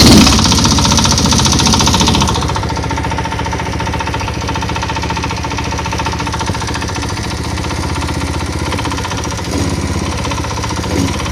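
Steady single-cylinder beat pulling under load, firm and even, with no knock coming through while riding.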